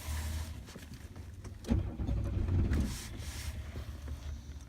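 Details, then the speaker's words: 1996 Chevrolet Lumina 6-cylinder with P0301 misfire after a poor prior repair: hard start needing throttle, uneven low cranking and lumpy running as it struggles to catch; check-engine light flashing. "pueden ver no arranca hay que acelerar un poco hay que arranque"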